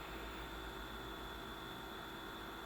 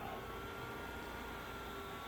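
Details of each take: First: BenQ W1080ST DLP projector after cleaning smoke buildup, lamp lit and fans running: steady thin whine at one pitch over the fan hiss; the color wheel is noisy and may need replacing. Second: BenQ W1080ST DLP projector at startup after cleaning smoke/dust buildup, lamp just ignited; soft steady airflow hum with faint constant tone, fans fine, though color wheel has a slight whine and may need replacing.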